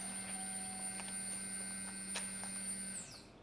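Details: 1982 Ford LTD with vapor lock problems, newly installed in-tank electric fuel pump, old pump disconnected; steady high whine with low hum, even for about three seconds then winding down; fuel pump running normally.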